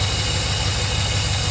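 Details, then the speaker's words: Mercedes 380SL V8 after sitting a year and a half: steady raised idle, smooth low rumble, no dip toward normal; with idle speed control module disconnected and driven by a 9 V battery idle is controllable, so module is bad. "basically I have disconnected the idle speed control module I have hooked up a nine volt battery and I can actually now control my idle speed Auto control module is bad"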